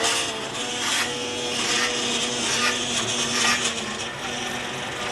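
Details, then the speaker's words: First DIY CNC router dry test run, no cutting, NEMA 34 steppers driving 1/2 inch 10 TPI threaded bar via aluminium direct linkage: harsh rasping buzz with uneven swells, noisy with vibration issues; owner wonders if the linkage contributes. "This is a test run. It's a bit noisy and I've definitely got some vibration issues,"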